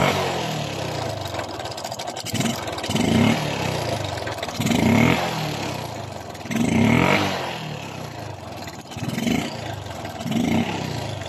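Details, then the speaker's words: Suzuki Smash 115 motorcycle with an engine noise of unknown origin, judged by the mechanic to be a loose timing chain, to be confirmed by removing the round engine cover: the engine is blipped about every two seconds, with a metallic clatter that swells on each rev. "Sa tingin nyo, saan kaya nanggaling ang ingay na yan? Para sa akin guys, yan po ay tunog ng timing chain. Kapag lalo natin timing chain, yung ingay na yan ang lumalabas sa ating makina."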